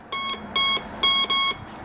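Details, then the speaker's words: Quick Silver Bounty Hunter metal detector: three clear, high quarter-second beeps as the coil sweeps over a coin. This is the higher coin target tone (silver and copper coins, older pennies), unlike the bass tone for nails. "the indicator arrow is going to come up on what kind of metal you have encountered. In this case, it's a coin."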